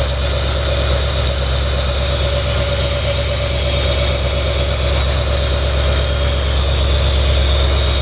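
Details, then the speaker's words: First start of a freshly built brand-new V8 engine in a truck, throttle body and cable newly installed, temporary ignition wires, oil pressure noted a little low; loud steady idle with even low rumble and faint whine, no knocks or misses; normal idle. "this is a brand-new engine I'm just gonna let it idle for a second"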